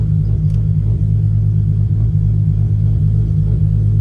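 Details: 1994 Toyota Supra MkIV, 1251bhp, running after a new fuel pump and fuel sock were fitted for fuel pressure issues: deep, even, heavy rumble holding steady revs with no misses or knocks. The engine runs healthy.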